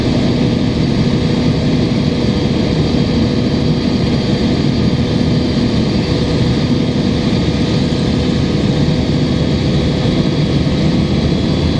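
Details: 2005 Gillig Phantom 35' transit bus with a Cummins ISL diesel and Voith D864.3E, recorded on board with the HVAC running: a deep, loud, steady drone with a chuffing, chuggy edge under fan hiss from an exhaust leak.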